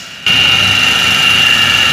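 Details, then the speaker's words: Toyota Avanza with a rough whine under acceleration, worst at the upper bearing: sharp, constant high-pitched whine holding steady over the engine. Worn upper idler pulley bearing, which was then replaced. "Hai suara desingan terdengar dari judul bearing atas yang paling kencang"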